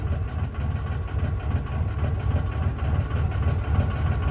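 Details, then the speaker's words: Cummins diesel truck, after cutting each cylinder: deep idle with an uneven, lumpy pulse about three beats a second; all fire but one cylinder seems to do less work. "Okay, so they're definitely all firing. Definitely. But something's wonky somewhere. One of them's not firing enough."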